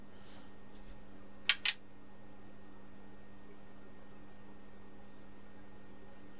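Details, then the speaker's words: HP 34401A 6.5-digit multimeter during repair, running full diagnostics with the input lead disconnected. Two quick relay clicks sound over a steady low hum, with no error beeps; the self-test passes. "It would normally beep every time it came across an error as it was running the test. I got no beeps there and it passed the test."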